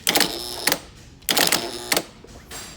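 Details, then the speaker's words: 2018 Mack Anthem starter on the bench, fed 12 V from a battery charger with a jumper ground to the mag switch: the solenoid clacks in quick bursts and won't stay engaged, so the starter is defective. "would not stay engaged."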